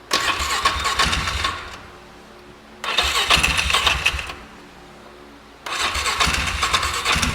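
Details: 2008 Polaris Ranger 500 UTV on a rigged-up, shot battery; owner hopes running it hard will clear it out. Engine catches in three ragged bursts of a second or two, fading out each time. Struggling to stay running.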